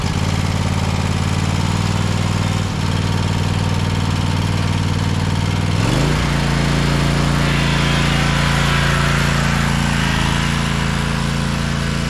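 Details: 2012 Toro Timecutter SS 5000 zero-turn (model 74630), Kawasaki twin, after fixing the rockers and adjusting the valves: runs even and steady, picks up speed smoothly, no misfire or valve tick; both cylinders now firing.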